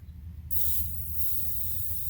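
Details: Harbor Freight manual hydraulic log splitter, ram retracted, fill plug popped open only a tiny bit to bleed it: a sharp hiss starts suddenly and holds steady as trapped air vents from the hydraulic oil.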